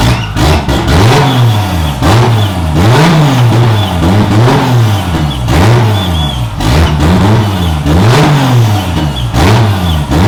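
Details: Budget 2JZ-swapped BMW E36 on start-up after fixing leaking oil cooler lines. Revs swing up and down about once a second as the throttle is blipped repeatedly to stop it stalling; the engine won't hold idle.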